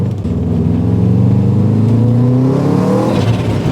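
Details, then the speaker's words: Subaru STI drag build, driving under hard acceleration: revs climb smoothly and evenly with no stutter or flutter, and boost is now being controlled and feels normal; normal boost under acceleration. "yep that's right that's right it's actually controlling boost now feels normal I can dig it"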